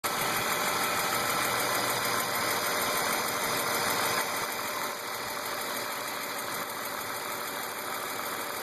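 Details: BMW E36 328i M52 petrol six at 175,000 km with M50 intake, M3 EU headers and exhaust, idling with a light steady tick about three per second; oil, sensors, injectors, lifters, tensioners, upper chain, VANOS seal replaced, oil/fuel pressure checked, cause unknown.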